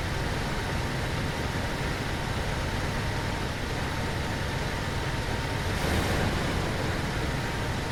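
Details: 1980 Ford F100 Ranger V8 after installing new 19-gallon replacement fuel tank with spliced hose; even steady idle rumble, no knocks, misses or ticks: normal idle.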